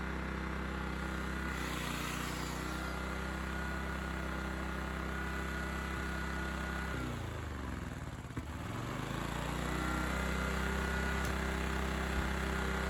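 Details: Honda EX1000 1 kW petrol suitcase generator, said not working, started after adding fuel and choke adjustment, tested with 350 W motor load: steady even drone sags briefly as load comes on, then settles to smooth hum; running fine.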